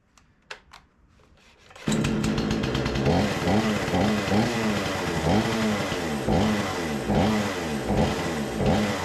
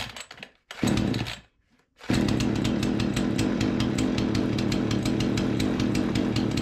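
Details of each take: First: Remington 46cc chainsaw, sat since last season, choke arm seemingly not working, smoky: revs hard but surges and sags unevenly, starving for fuel; owner plans a carburettor clean, fuel lines seem okay; fuel starvation. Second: Remington 46cc chainsaw after carburettor cleaned and refitted, test fire at 42°, primed and choked: a few sputters and a pause, then catches and holds a steady even buzz, no stumbling; before any mixture adjustment; normal running.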